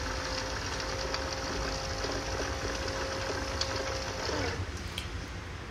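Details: Bajaj Chetak electric scooter after the noisy rear drive motor was replaced: a quiet, steady, faint whine with no grinding or harsh rasp under background hiss. The earlier noise is fully gone and the motor sounds smooth and healthy.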